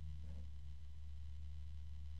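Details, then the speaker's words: Thermalright TR TY-141 PWM fan with sleeved cable, running in a review: a steady, deep hum sits under the airflow throughout. Fan low-pitch hum. "and there's a low pitch noise"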